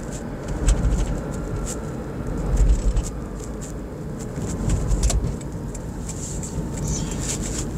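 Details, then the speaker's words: 2013 Toyota Prius G3 with over 600,000 km, driving on the road: steady low road rumble with no clunks, knocks or rattles over bumps; the suspension makes no noise. "Și într-adevăr, suspensia nu generează zgomote."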